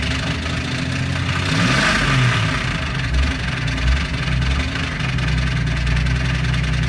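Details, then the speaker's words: 1998 Jeep Wrangler TJ petrol, five-speed manual: rough idle then brief revs with a loud rhythmic engine knock riding over the low rumble. "you're gonna get a lot of gas here you'll hear that real cloud knocking"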